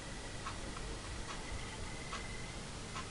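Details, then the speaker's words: Homemade battery-powered computer fan cooler with resistor current limiting, yellow tach wire unused: faint steady high-pitched whine over the fan, with soft clicks a little under once a second. "вот слышите Надеюсь слышно вам писк"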